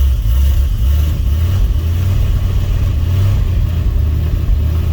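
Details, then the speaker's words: 1968 Fargo D100 without choke, cold start at night in snow after 24 hours sitting and needing a jump: deep, lumpy, uneven rumbling idle with no knocks or squeals as the engine runs cold. "yeah there we go it is cold listen to that baby oh come on girl i know she's cold oh boy"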